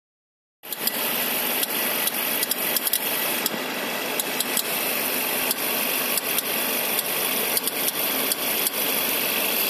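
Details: 2011 Suzuki SX4 with M15A engine, Indonesian market spec, at idle: sharp light clicks, a few per second and not quite even, over a quiet idle; AC compressor clicking.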